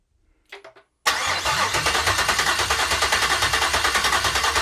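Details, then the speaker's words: GM L86 6.2L Gen V V8 on an engine stand, first start with a new Speartech harness and ZL1 fuel pump module: quick crank, fires at once, steady even idle with no ticks or knocks. Transmission cooler lines were not yet connected. "all right she fired off but uh i forgot to hook up the transmission cooler lines so they started shooting transmission fluid everywhere"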